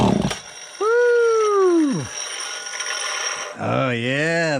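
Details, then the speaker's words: Vintage McCulloch Pro Mac 55 two-stroke chainsaw, first fire after ignition chip fix and two-jet carb swap, fuel squirted in with no fuel line: catches, sags and dies, revs back with wavering pitch; runs fine. "sounds good she's a runner"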